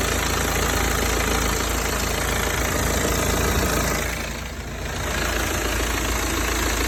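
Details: BMW 320d (58 plate) diesel at idle: steady clatter fades briefly then returns; intermittent noise heard both warm and cold, cause not identified.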